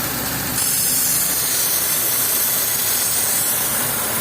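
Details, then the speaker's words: Daewoo petrol engine idling, brought in by a mechanic for a misfire: a loud steady hiss from a vacuum leak drawing extra air into the intake manifold, causing the misfire. "طبعا التنفيذ ده بيسحب بيسحب هواء زياده بيسحب هواء زياده للمنافول فبيبرجل العربيه"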